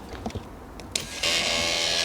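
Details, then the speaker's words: 1996 Vauxhall Astra MK3 old electric power aerial, panel removed, radio off; constant loud high-pitched whirring that never stops, draining the battery; power aerial motor running continuously. "the motor just keeps running all the time so you'll drain the battery and it's quite annoying it's quite loud"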